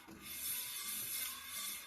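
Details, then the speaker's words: 1970-71 Honda N600 rear drum brake after wheel cylinder rebuild and shoe install, drum turned by hand: soft even scraping clicking from slight shoe drag, showing correct adjustment; too tight would sound horrible. "you turn the adjuster until you have a slight drag on the shoe you can hear it clicking if you go too tight it'll make a horrible noise"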